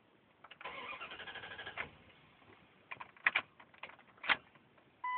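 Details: Truck cranks for about a second, then a few short stabs at the starter, and it never catches: it cranks but won't start.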